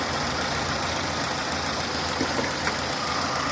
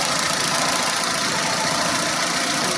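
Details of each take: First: Renault on LPG at idle, before injector replacement: steady idle with a fast, light, even ticking like valve tick from the noisy 3-ohm LPG injectors; injectors are not faulty, just loud. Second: Renault on LPG after replacing noisy 3-ohm gas injectors with 2-ohm injectors, leak test done: even, steady idle with smooth hiss, injector ticking gone, running slightly better. Normal idle.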